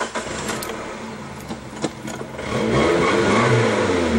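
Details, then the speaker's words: Suzuki Sidekick with check-engine light on that stalls and bucks while driving; a shop removed the fuel pump but the fault persisted. A few cranking clicks, then it catches cleanly at about 2.5 seconds and revs evenly; normal start and rev. "Como usted lo oye, él arranca perfectamente bien. No tiene ningún problema."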